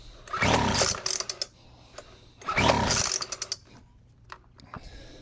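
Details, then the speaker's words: Weed Eater FB25 25cc two-stroke blower, choked and given fuel: two rasping recoil pulls with short coughs, then silence, and it never fires. No-start caused by a broken fuel line. "That actually even has a broken line on the fuel, too."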